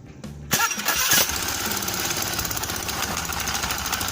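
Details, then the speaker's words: Honda Beat scooter with intermittent electric-starter failure, starter motor commutator found not rotating/making contact; after repair a short starter whir, engine catches within a second to steady idle; normal electric start. "Okay, friends, that means we can use the starter again, or it's working."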